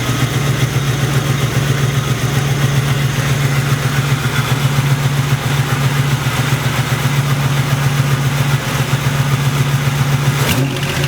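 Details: Internally stock LT1 V8 (reportedly 70-80k miles) with Hooker long-tube headers idling: sharp regular tick over the rumble, suspected knock from driver's side; found to be an exhaust leak at the rear driver's-side header port, fixed by retightening.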